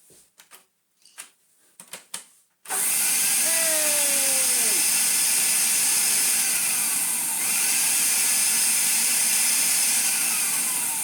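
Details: Vintage Electrolux Z330 Automatic vacuum, motor suspected dead, desuppressed, bag missing, tried again: a few clicks then motor spins up to a steady high whine that holds even; motor runs normally.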